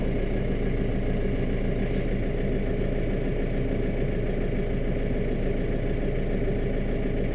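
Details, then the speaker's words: Kubota M7 diesel tractor, 42 hours, sat a while, warming up in park after a cold start on a mid-20s morning: steady, even idle thrum, no knocks or misses, "pretty uneventful"; normal warm idle. "it's in park pretty uneventful pretty uneventful"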